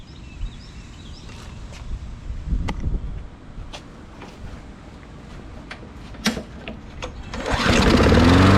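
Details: 2002 Murray 20-inch bagger/mulcher with 4 HP Briggs & Stratton, restarted and left running before tipping for oil change and blade sharpening: quiet yard, then engine catches and settles into an even, steady buzz; sounds healthy, later shuts down well.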